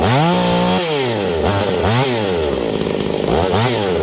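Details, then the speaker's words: Husqvarna 268 two-stroke chainsaw warmed up, high jet richened, adjusting low-speed jet; revs climb then sag and stumble repeatedly, pitch dropping and wavering: lean bog. "okay so what I'm doing is I'm adjusting the low jet you guys hear that bog"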